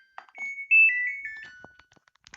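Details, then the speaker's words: Samsung washing machine after the reset-button fix: on power-up the normal stepped-beep start melody plays once instead of a single beep, and pressing start now works normally; earlier a double beep on start meant it would not run. "Suaranya sudah ada nadanya, ya, tidak tit gitu, tidak bip 1 kali, tapi sudah ada nadanya. Terus kita pencet start. Tuh, langsung normal, saudara-saudara."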